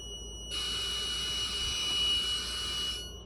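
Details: Triple-wound VIC inductors pulsed at 294 kHz, about 30% duty cycle: piercing high-pitched buzzy whine for about 2.5 seconds as high voltage arcs, likely in the matrix switcher relays (possibly the transformer); more voltage than before.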